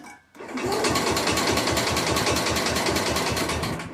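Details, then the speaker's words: 1961 IH Cub Cadet Model 70 garden tractor, 7hp Kohler single, sat for years, first start in years after brake-clean spray, starting fluid and choke: even pulses about three a second as it turns over and fires, no grinding; runs like a top. Normal cranking and start. "Yeah, so world's easiest will it run video, I guess. Runs like a top."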